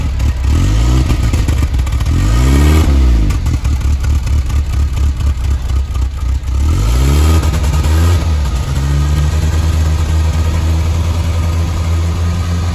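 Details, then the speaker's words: Land Rover Series 3 109 LWB, 2.25 petrol engine, first start after 15+ years sitting outside; points cleaned, fuel primed via lift pump: catches and runs steadily with a deep, even exhaust note swelling and dropping with throttle blips; running normally. "i'm very happy without the car running in the end not bad for 15 years of sitting on somebody's driveway"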